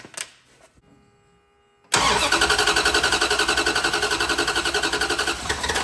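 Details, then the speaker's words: 1970 Dodge Charger V8, unstarted since 2008 and undriven since 2006, fires on primer squirted into the carburetor after draining old fuel from the tank; it catches cleanly and runs with an even, quick lumpy pulse before fading. Normal running on primer fuel. "That was almost too easy. That sounds good."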